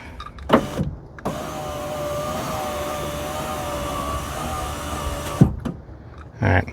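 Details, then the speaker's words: Ram Promaster power window after a window regulator replacement: a steady motor whine of about four seconds, smooth and even with no grinding or binding, with possible light tapping of plastic or the track at the bottom; window works normally. "Yeah, I can hear the plastic uh or just the track maybe tapping up against that. It's okay as long as it's not hitting anything that's moving."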